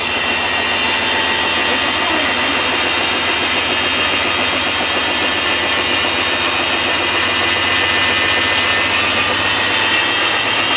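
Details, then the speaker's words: Sears factory-refurbished washing machine on its spin cycle, the most powerful phase: a loud, steady, hissy roar like a jet spooling up holds throughout, as if it will keep getting louder until it blows; spin unusually noisy. "it makes me want to back away from that thing it's like it's gonna keep getting louder and louder until blow"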